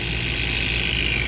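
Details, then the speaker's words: Prep table multiplex condensing unit compressor, drawing 18 amps with service gauges on: rough, hissy drone over uneven low hum, minimal pumping, shuts off on overload (not locked rotor); damaged internal valves. "minimal pumping going on but there's something there there's clearly something wrong with the valves and it looks like we shut off on overload"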